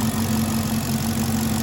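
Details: 2016 Caprice (6,081 engine hours), which ran rough with a StabiliTrak fault and codes P0208/P0300, idling after repair: steady, even idle with a smooth low hum and no misfire or knocking; fixed, normal idle.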